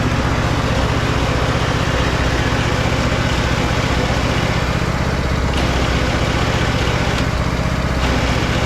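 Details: Husqvarna riding mower with a terrible noise while driving, recorded with clutch in and out: a thumping small engine with a harsh, gritty rasp from a worn idler pulley bearing. The oil was a quart low and just topped up.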